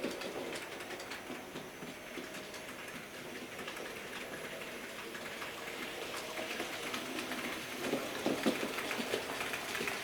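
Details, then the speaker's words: Model J36 "Haig" steam locomotive after oiling push rods, tender and engine bearing and greasing the driving cog: runs smoothly with a soft, even whir and light rail clicks, the earlier grinding gone; no bearing noise. "Well, you remember the awful noise this was making going through this part of the track. There we go. gone."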